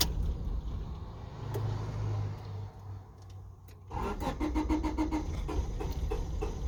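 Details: 1996 Honda Civic, won't start after a long drive once it cools: starter grinds several seconds without catching, pause, more cranking; starts when gas lightly pressed, cause unknown.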